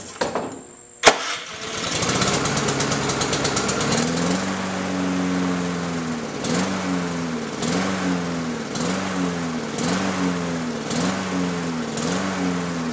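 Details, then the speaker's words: Lawn-Boy mower small engine after a fix stopped over-revving at startup: runs but hunts up and down about once a second; surging, owner plans to clean the carburetor to fix it. "so at least it's not revving anymore I'll have to take the opportunity to take this back apart and clean out that carburetor to fix that surging issue"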